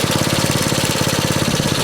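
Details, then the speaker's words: 1964 Honda S90 out of storage, started with choke: small single revs with a quick, even chuff and no knocks or rattles, running well, normal running. "Hey, that sounded pretty good. I'll start slowing down a little."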